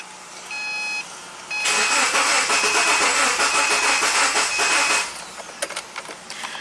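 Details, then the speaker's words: 2009 Subaru Forester crank no-start, no codes, after timing belt, plugs, wires, coil and ECU were tried: about three seconds of steady cranking with ragged, uneven firing attempts that never catch; ignition spark and firing order suspected. "All right. So, you heard it tried to do something, but it was very uneven."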